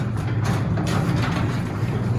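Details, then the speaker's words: Garage door opener after the lift rod was adjusted to vertical or slightly past: low, even motor hum coming up smoothly with no bang or jerk as the door opens, a gentle, even start. "Now watch. It's a nice gentle start as it comes up."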